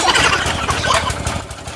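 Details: Giantz petrol high-pressure cleaner, small single-cylinder engine, new, first cold start with choke on, at part throttle: fast even chatter, no misfires or knocks, running normally; stop switch faulty.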